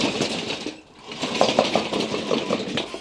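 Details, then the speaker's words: Hobby-built T-1 Terminator tracked robot driving forward and back on its first electronics test, with sound-absorbing material already added under the electronics. An irregular metallic clatter comes mostly from the bare aluminium front drive wheels; the builder considers rubber rims to quiet them. "most of the noise is actually coming from the aluminium drive wheels at the front i thought maybe i might put some rubber around the edge of the wheels might make it a little bit quieter"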